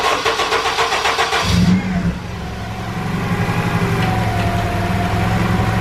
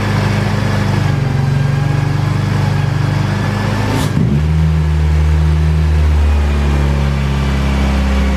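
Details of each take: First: K-series engine after throttle body and throttle cable tension adjustment: brief crank, then steady even idle around 850–900 rpm, down from about 2500 rpm before; though it chokes out when throttle is touched. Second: Honda K-series engine with 70mm throttle body and loose throttle cable: steady fast hum around 2500 rpm with brief dip, not settling; high idle. Owner suspects throttle-body spring needs more tension so butterfly isn't fully closing.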